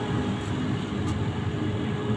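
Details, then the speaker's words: LG 15kg washing machine after replacing a worn inner drum bearing that caused a loud, rough spin: a steady, even low hum at high spin above 1000 rpm with no rumble, grind or knocking. Normal spin. "Oh, udah halus ya tuh. Ini udah halus nih. Suaranya udah enggak ada ya."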